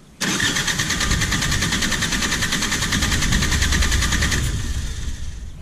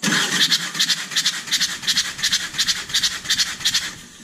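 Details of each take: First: Perkins 4-cylinder diesel in a JCB 208S backhoe, injector removed for a compression test: even, steady starter cranking at about 300 rpm, gauge reading just over 400 psi on this cylinder; healthy cranking compression. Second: Perkins 4-cylinder diesel in a JCB 208S (1CX) backhoe cranking during a compression test: sharp, even puffs about three per second as compression blows out a cylinder's open injector hole, injector removed; tested cylinders read just over 400 psi.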